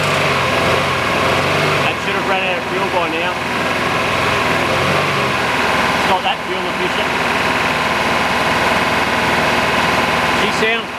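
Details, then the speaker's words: Subaru RS Liberty AWD turbo manual, parked 10 years, after heat cycling: even, steady idle with no misfire or hunting; blocked injectors now working. "good that's good we're golden guys right on that's us injectors are working we just had to get it happening get it to heat cycle get some pressure running through those injectors"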